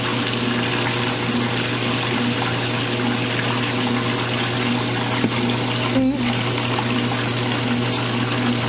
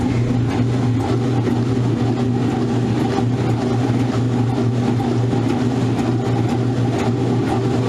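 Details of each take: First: Roper washer in a friend's house, after earlier trouble with the load going off balance: motor hum as it spins faster than before and the drain pump rushes water out; spin even and normal, clothes getting pretty dry. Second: Modern Roper washer on spin with an unbalanced load; steady heavy hum with faint uneven thumps as the machine strains and struggles against the imbalance.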